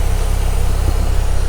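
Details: Mazda Miata, manual, power steering removed, just back from its first drive in a year. Deep, even idle rumble holding a steady beat with no knocks or misfires. A healthy normal idle.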